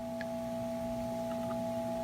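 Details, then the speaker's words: Early-2011 13-inch MacBook Pro after replacing a bad current-sensing resistor on the PPBUS_G3H rail: smooth steady mid-pitched fan hum with a faint constant whine, no rattles, fan now spinning normally. "look at that the machine is now on the fan is spinning and it is more than likely working just fine"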